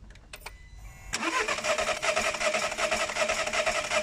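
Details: 2014 SEAT that sputtered when warm: starter cranks steadily at about two and a half turns per second but engine never fires despite a clear spark; fuel hoses found swapped at the pump.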